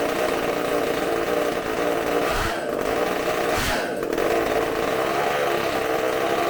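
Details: Bench test of a supercharged McCulloch two-stroke chainsaw engine, carb cleaned and new gaskets, running off tank fuel: steady high-pitched scream with even revs and only brief dips; runs fantastic and clean at high speed, eats fuel quickly.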